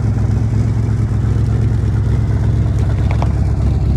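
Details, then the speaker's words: Chevrolet Monte Carlo SS driving after its first start in over 10 years: loud, deep, uneven, overly open exhaust rumble; mufflers are rotted out and the exhaust is bouncing on the rear frame rail. Exhaust leak from rotted muffler. "you can hear the exhaust oil mufflers just rotted out it's bouncing on the frame rail back here but other than that it did pretty damn good"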